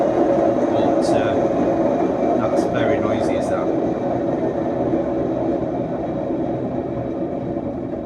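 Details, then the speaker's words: Indesit washing machine on a brief spin before bearing replacement: loud steady rumbling roar with droning hum from worn drum bearings. "i'm just going to do a run on it a brief spin on it just to show you how noisy it is"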